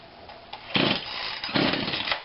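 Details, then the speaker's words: Husqvarna 142 40cc chainsaw, unrun for a long time, no primer bulb, fuel spritzed in, on heavy choke; barely catches with short sputtering bursts dying between them: rough running on choke. "okay not sure what happened there it's a little bit of choke choke pulls that out of the way or what i think it gives a little bit of throttle looks like okay that's a lot of choke"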